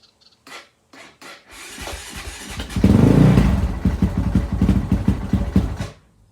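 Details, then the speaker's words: Honda CRF450X after valve clearance check, started on choke with known electric starter issue: short starter bursts, then uneven lumpy running that never settles; owner suspects carburetor, not confirmed. "Sounds like it's starting. Something don't sound quite right though. My thoughts are it's possibly carburetor related, but I guess I'll ask and find out."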